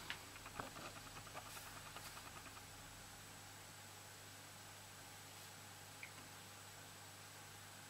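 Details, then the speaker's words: Quiet desktop PC, i5, Arctic Cooling Freezer i30, foam-lined Cooler Master case, fans at low speed: quick irregular ticking and chattering over a soft fan hush, then settling; normal hard drive seeking as Windows boots. "so so so yeah as you can hear the most noisy guys the hdd this window is starting it's using a lot of read and write cycles"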